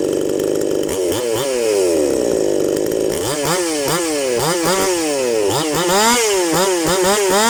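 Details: New chainsaw, fresh out of the box, that at first would not start despite tuning and a good spark check, now running after the fix. The clean two-stroke revs up and back smoothly with no stumble or misfire, sounding healthy.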